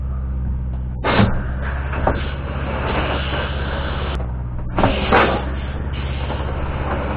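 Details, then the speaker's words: Rockwood 2606WS travel trailer water pump running during winterizing, bypass set from city water to winterizing; steady low buzzing motor drone holding level with a couple of dull handling knocks; pump charging normally, nothing wrong heard. "The next thing to do is to turn on the water pump. You can hear it charging."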